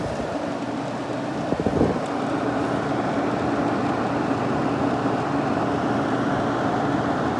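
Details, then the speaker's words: Late-1960s Sears Coldspot 6,000 BTU small-chassis window air conditioner, likely shaded-pole fan motor, fan on low: steady rushing airflow with low hum and rough edge, a little noisy. "It'll kick on pretty much right away. That's low. A little noisy."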